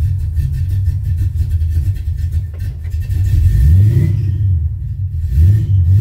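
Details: 1979 AMC Spirit AMX, carbureted AMC 304 V8 rebuilt about 20,000 miles ago, started after reconnecting the ignition coil wires post Carb Cheater install: deep, lumpy V8 rumble settling into a steady idle with slight surging. Owner notes something's not quite happy, possibly a thicker carb spacer.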